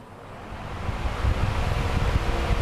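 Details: Usha pedestal fan after condenser replacement, run through a series test lamp: soft rush of air builds smoothly to full speed and holds even; the failed condenser had caused a humming sound at the motor.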